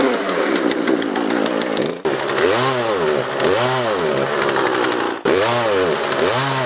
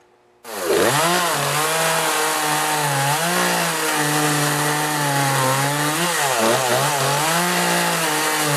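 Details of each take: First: Poulan 3818 38cc chainsaw with an 18-inch bar, starting easily on full choke: rises toward full throttle, then pitch sags and surges back instead of holding, worse cutting into a log; carburetor out of adjustment causing bogging at high revs. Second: Poulan 3818 38cc chainsaw with an 18-inch bar, cutting logs after a carburetor adjustment to fix bogging: strong, steady high howl through the cut, dipping only slightly under load; running cleanly with good power.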